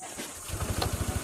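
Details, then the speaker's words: Honda ADV 160 scooter with hard-start history: quick single-crank start, catches at once and settles into a steady, even idle; starting now sounds healthy. "Ayan, one click na lang siya."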